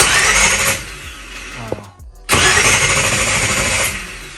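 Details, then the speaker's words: 1966 Chevy II SS Nova, not started in months and carbs awaiting rebuild, cranked without trying to start after Optima battery mounted in the trunk with quick-connect terminals; quick, even whirring crank with a brief pause, spinning fast: normal strong cranking. "All right, guys, we got power. That thing is spinning. That's what we want to hear, that fast spin."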